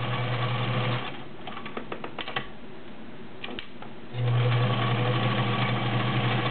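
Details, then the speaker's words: Vintage White Model 764 all-steel sewing machine, 1.3 amp motor, sewing 12 layers of cotton: even smooth hum about three stitches a second with a pause, very quiet, balanced stitch, no clatter; normal running. "Very quiet, as you can hear. Nice balanced stitch."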